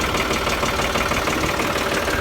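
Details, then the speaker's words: John Deere 5055E tractor diesel idling in neutral after hydraulic filter change: even, steady idle with no knocks or misses, hydraulic lines heard pressurizing as oil fills the new filter; normal idle. "You can actually hear the lines pressurize. So that oil got into that filter pretty quick."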